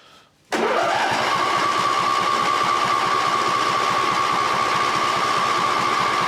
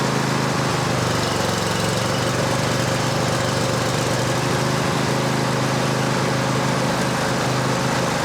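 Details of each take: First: Cub Cadet LT1550 riding mower, no-start, old oil, after carb spray: catches and settles to a fast, uneven putter with a thin high whine; runs lean and hunts, carb is brand new, fuel suspected. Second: Cub Cadet LT1550 riding mower after no-start tune-up with new carburetor: single-cylinder engine holding an even, steady idle without stumbles or surging, though described as running lean; seafoam suggested.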